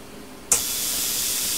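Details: Plasma cutter torch that won't start, tested by shorting the low-voltage switch plug prongs with a screwdriver: sudden steady hiss that holds without cutting out, so the machine works and the fault is the torch switch or its lead.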